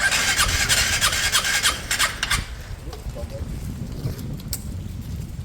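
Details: Piaggio Fly 125 fuel-injected scooter, first start after engine swap with fresh oil: fast starter pulses about three a second for over two seconds before it catches and settles; slow to fire, hard starting.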